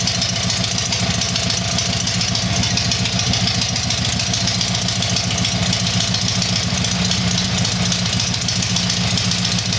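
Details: Tiger-1 engine after rebuild: steady, even idle with constant low throb, no speed hunting; normal idle.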